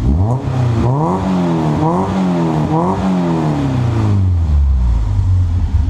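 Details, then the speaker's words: Peugeot 205 1.9 Rallye with a newly fitted exhaust, revved: revs rise and fall smoothly with a deep, clean note and no knocks or rattles, a normal healthy engine. "oh yeah does that sound great i think so at least"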